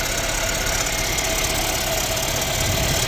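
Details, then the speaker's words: Mercedes-Benz CLA W117 idling, front of engine: steady high whirring hiss with faint rough grind like a failing bearing; mechanic suspects the water pump, with coolant dripping and loss and a Top Up Coolant warning showing. "ดังหน้าเครื่องเสียงหอลูกปืนเลยนะเออเหมือนปั๊มน้ำเลยน่าจะนี่มั้ง"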